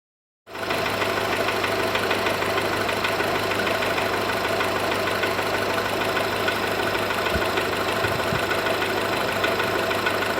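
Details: Cold VW Golf 4 1.4 petrol engine at idle: a steady, slightly uneven tapping or knocking of about three per second over the engine hum; the cause has not been identified.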